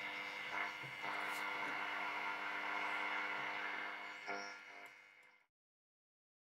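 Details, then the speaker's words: Soviet Serenada RE-308 radiogram on medium wave, tuned. Steady whistles and buzzing over hiss with no voice or music, then it fades out; interference only, no station received. "это по идее длинные волны но там сейчас ловить совершенно ничего давайте среднем включен и покрутим"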